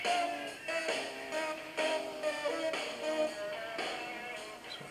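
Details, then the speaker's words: Aiwa CS-R10 cassette deck with motor speed adjustment on the circuit board: music drags well under speed and low in pitch; motor speed set too slow. "is got really slow"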